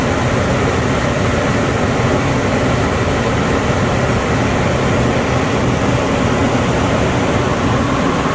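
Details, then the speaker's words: 2007 Ford Explorer after replacing an electric fan with a new mechanical clutch fan; steady, even idle under constant fan roar, no clicking or surging, idle drops after a minute; fan later found rubbing a hose; normal idle. "it's normal for the idle to come down after a minute or so"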